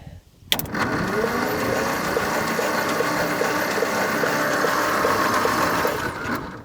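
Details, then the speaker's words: 1950 Nash Statesman, not run in 23 years, engine not seized: steady starter churn with even compression pulses, two or three a second, no firing catch; cranks but won't start, no spark heard, dirty points suspected. "I do not hear any sparking. Okay, I'm guessing we got to clean some points."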